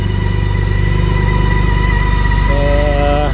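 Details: 2019 BMW K1600GT six-cylinder idling after cold start following nearly 5 months' winter storage in Minnesota, no fuel stabilizer: smooth, even low hum, no knocks or ticks; normal healthy idle.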